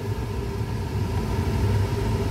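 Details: 2006 Chevy Colorado 2.8L, new blower motor and resistor, on high (speed four); steady even whoosh of air with smooth low hum, no rattle, squeal or wobble. Normal blower operation after replacement.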